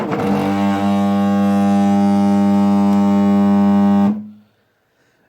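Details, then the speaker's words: Wanhao i3 3D printer with Duet WiFi upgrade, Y axis homing: stepper motor runs the wrong direction past the end stop and stalls hard at end of travel, a loud steady buzzing drone until power is cut. "nd this travels all the way that way until it physically can't move anymore, and the motor doesn't stop, it just keeps spinning, and you'll hear a horrible grinding sound, and I'll have to pull the power off and figure out why it's not working."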